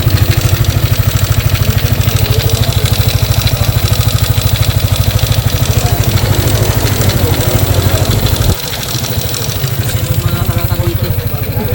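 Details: Sniper 155 idling with a steady, busy clatter on its beat: worn camshaft bearing rattle.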